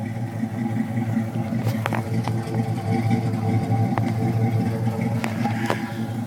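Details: 1980 Pontiac Trans Am V8 with true dual 2-1/4 in exhaust and original 40-series Flowmasters: deep even burble with a steady low rhythm and a few light clicks; idles smoothly, choke possibly sticking.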